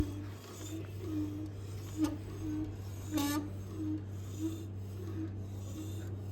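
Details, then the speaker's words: Royal Enfield Himalayan BS6 rear wheel spinning before repair: faint rhythmic metallic scrape about once per wheel turn over a low hum, pointing to a broken pad pin rubbing inside the caliper; rear brake scraping. "So ಈ sound ಯಾಕೆ ಬರ್ತಾ ಇದೆ ಅಂತ ಕೇಳಿದೆ ಎಷ್ಟೊಂದು ಜನಕ್ಕೆ."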